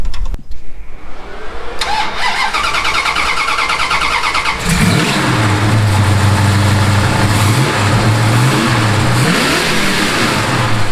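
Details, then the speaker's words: '69 Dodge Charger big-block V8 that wouldn't pull above 4000 rpm, after fixing misaligned carburetor throttle bracket, lambda sensor fitted; starter whirrs, engine catches, revs climb cleanly and hold high with deep steady roar; now pulls freely, normal. "Ja! Het is een andere auto zo. Nu trekt hij wel door."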